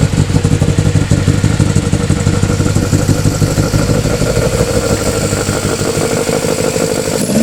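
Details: Honda Civic EF with swapped B18C4 and OBX individual throttle bodies, first startup: loud choppy uneven clattering that never settles to smooth idle; runs rough, owner blames current ECU setup, plans different ECU.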